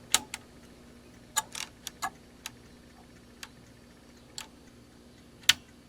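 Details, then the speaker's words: ASTAR DVD player, no disc loaded, powered on: laser sled moves and ticks with sharp dry uneven clicks over faint hum; mechanism seemed stuck, owner suspects a limit switch not being made, old dried lubrication; oiled mechanism afterward. "it tries to spin the disk there's no disk in here and it moves the laser sled will do one more time see works every time that way"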